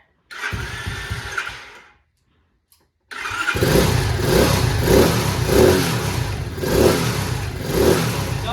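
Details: 125cc Chinese CT70 on its first start after carb and fuel work. It catches after cranking, then the idle swells and sags about twice a second, hunting rather than settling; the carb screw needs adjusting. Cause suspected, not confirmed.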